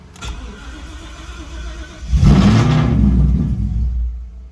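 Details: Ford Shelby GT500 (Silverback build) with fresh engine, hot after a short drive (cold starts fine): cranks briefly, catches with a surge of revs, then sags and dies after a couple of seconds; hot restart stumble.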